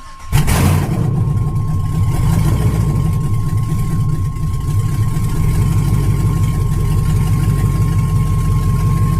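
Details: 1999 Yukon with 5.3 V8 on its first start after the computer came back, mass airflow not yet hooked up: fires quickly and settles into a steady, deep, even idle through open exhaust, no knocks or misses; good oil pressure.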